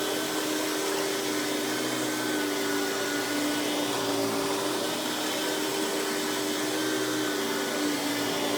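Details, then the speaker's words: Hoover PowerMax Supreme 850 S3609 1990s canister vacuum, non-original hose, high speed with power brush on: steady even motor whine at constant pitch, no rattles, surges or scraping; runs very smooth though not the quietest; normal running. "So as you can hear, this runs very smooth. Definitely isn't the quietest of canisters, but that's kind of the thing with cheaper canisters of the time."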